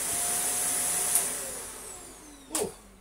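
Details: Shark DuoClean NV801 vacuum after the floorhead was unclogged and the recline lock repaired: a clean, even high-pitched motor whir with no choking or surging before it winds down; suction sounds normal.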